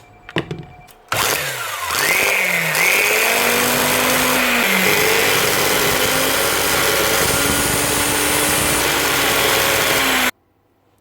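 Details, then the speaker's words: Second-hand 110 V angle grinder, Bosch or Hitachi: spins up to a high whine wavering in pitch with a rough, uneven drone; brushes first suspected, but the armature is faulty. "sounds like brushes maybe not something's not right there"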